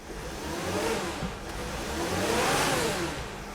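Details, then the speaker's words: 2013 Mercedes Sprinter 3.0L diesel with rough running and power loss, revved briefly in the cab: rises and falls over an uneven, lumpy beat, with the whole vehicle shaking. The check engine light comes on; codes P0301/P16C200 point to a misfire. "the engine is actually shaking the whole car is shaking right now I don't know if the camera is going to be able to pick it up but the vehicle is shaking now"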